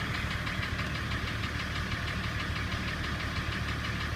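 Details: BMW M51 diesel engine at idle: steady rhythmic knocking keeping time with idle over rough diesel clatter; engine knock, source inside engine not identified.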